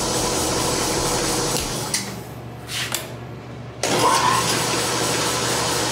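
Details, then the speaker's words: New Ellis 1600 mitering horizontal bandsaw, first power-up: motor hum stutters and drops out, then catches to steady speed with weird vibrations; owner suspects an unhappy starting capacitor. "motor wasn't very happy to come alive at first but now it seems to even out a weird vibrations to it"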